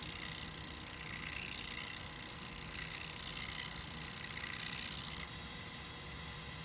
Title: Bambu A1 mini problem, anyone know why it’s making this noise/not printing, and how to fix it?